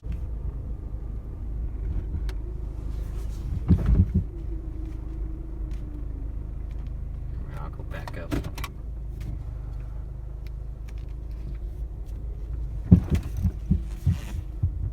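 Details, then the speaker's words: Saturn ION (GM Delta platform) front-end suspension clunk over bumps, speed bumps or rocking back and forth: low idle hum with sharp hollow clunks; worn sway bar stabilizer bushings are the most common cause, not confirmed here. "rocking back and forth or maybe going over a speed bump there's a loud clunk in the front or maybe just any bump in the road and you hear just a clunking sound whenever you go over it"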